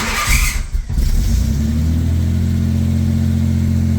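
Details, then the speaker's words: Car just after main fuel pump replacement (old one gave only 20 psi): starter cranks briefly, engine catches cleanly and settles into smooth steady idle, fuel pressure about 45–50 psi at idle; healthy start. "She's running. Alright guys, well, that's back together, it's running, you can hear it."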